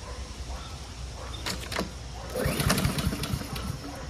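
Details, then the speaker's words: Curbside Honda Quadra Blade GCV160 self-propelled mower, fresh gas and oil checked full: one firm recoil pull with several solid compression thumps, turning over without firing; compression sounds good. "sounds good when you pull it though you know good pack"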